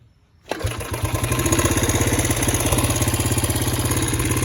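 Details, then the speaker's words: Honda CB125S after rebuild, about 10-11 minutes run time, points not yet tuned: fires on one kick and settles into a quick, even single-cylinder idle with steady pulses; runs really good, slight popping. "Fires right up. runs really good. One kick."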